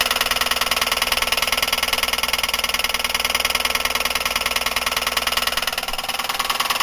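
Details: Buick 3800 at idle: a sharp, even ticking knock about three per second from a worn wrist pin and piston at the rod end, confirmed on teardown with no other faults; suspected cause is oil starvation or overheating.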